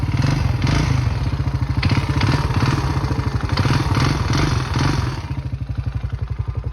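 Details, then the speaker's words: 2006 Honda Rancher 350 4x4 ATV single-cylinder engine clattering and thumping, louder the more it's revved; it also smoked heavily. Piston badly scored and cylinder worn, both replaced: piston slap. "reparando ruido extraño de Honda 350. Entre más acelero, más fuerte se escucha."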